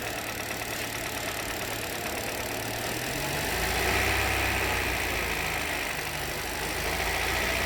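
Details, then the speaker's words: 2023 Hyundai Verna BS6 petrol automatic, overheating and starting trouble: light, quick tak-tak knock over a steady idle, confirmed on teardown as worn, loose pistons slapping, with bores cut and loose. "तो जो हमारा engine में से टकटक वाला sound आ रहा था वो हमारा 100% पिस्टन का साउंड था। तो यह पिस्टन पूरे टकटक कर रहे हैं।"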